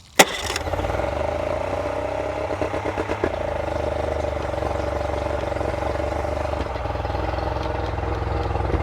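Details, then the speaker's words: Revived outboard running on a fresh-water hookup: steady but fast idle with no dip or hunting, still idling a little bit high. "She's still idling a little bit high."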